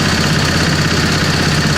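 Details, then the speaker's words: 725 small engine driving under its own power with a little throttle after sitting a long time. A steady, even low drone with no knocks or misses, pulling smoothly. It runs normally under load. "okay so it does does move we didn't try any of this but i'm sure i'm thinking everything's pretty much okay with this it's just had a had a while that it's been said"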